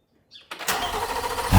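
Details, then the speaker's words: Chevrolet C8 Corvette Z06 starting right after an Eventuri carbon fiber intake install: starter whirs briefly, then the engine catches cleanly and flares up in revs; a healthy start. "I'll consider that a success. Started up, everything looks okay."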